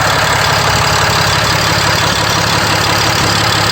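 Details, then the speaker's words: Ram 6.7 Cummins diesel after priming the fuel system by cycling the key seven times: fires almost instantly into a loud, even diesel clatter at steady idle, no stumbles or misses; running healthy. "Now, we're running. We fired right up."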